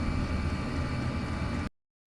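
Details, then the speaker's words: Chinese diesel air heater in garage after fitting an ultra-quiet fuel pump in place of the ticking original: smooth steady low roar with no audible pump ticking, normal quiet running. "but I don't think I'd be putting the noisy one back in. That's much better."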